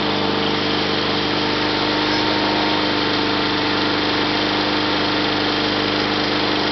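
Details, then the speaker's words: 1974 Sears Suburban SS/16 tractor, 16 hp opposed-twin Onan engine, out of gear at full throttle: even steady buzzing drone, no misses or knocks; good mechanical shape, surges below about a third throttle. "so like I said it runs pretty good it's still it surges at anything less than about a third of Full Throttle um but you know I mean it's in good mechanical shape"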